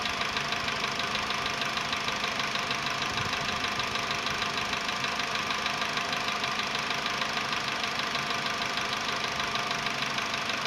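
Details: VW Polo Sedan, CFNA petrol engine, 105,000 km, before decarbonizing: cold start at 20°C after ~15 hours parked; light, fairly even tapping about three per second over a busy hiss at idle; cold piston knock that fades within a minute.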